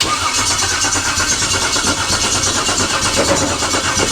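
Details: LS-swapped 1956 Chevy V8 with injectors visible, key on, cranking with a steady starter churn and even compression pulses for several seconds, never firing; crank no start.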